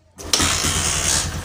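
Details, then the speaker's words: Honda Verza 150 motorcycle after a top set piston kit replacement because it ran out of oil, which had made it rough and smoky: starter whirr, then immediate catch and smooth, soft idle with no tapping. No smoke now, quieter than before the repair. "okay, it's on, guys , and the smoke doesn't seem to come out anymore, the sound is softer than the first time I came here"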